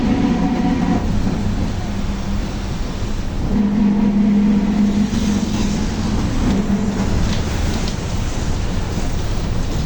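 Under way there is a constant low droning roar with a hum that swells for a few seconds under load, pointing to a worn differential.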